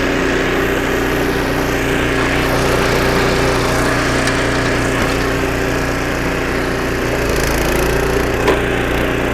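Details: 25-year-old snowblower after a carburetor rebuild (new needle and seat, carb kit), first-pull test with choke: steady, even small-engine drone with a busy rattle on top, no stumbles or surging while it runs. Normal running under load.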